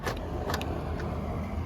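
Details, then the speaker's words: Newly replaced door lock actuator on a 2005 Nissan Frontier, connector just reconnected: a few crisp, solid clicks over a low background rumble; the actuator snaps through its travel cleanly. "make sure it clicks and now you hear that it works guys look at that"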